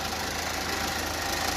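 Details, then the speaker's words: 2016 Land Rover Discovery Sport diesel idling on a lift, heard from underneath: fast, even buzzing rattle from the loose DPF heat shield shaking, stops when the shield is pressed; common on 2016–2018 Discovery Sport and Range Rover Evoque. "okay but it looks okay it's coming from the dpf because that dpf is shaking so uh these are really common with the land rover discovery sports and this range over evo 2016 model up to 2018"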